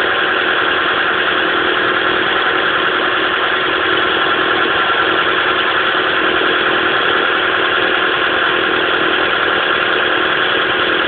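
Steady fast idle with an uneven, slightly lumpy beat under a hissy engine note; one cylinder is dropping out, so it is misfiring.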